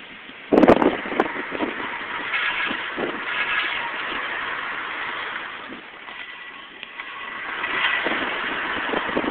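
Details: 2000 Nissan Maxima, noise on left turns after new tires: rough metallic scraping/grinding rising and fading with wheel rotation, a bent brake part rubbing the thin round dust shield; fixed by bending it back.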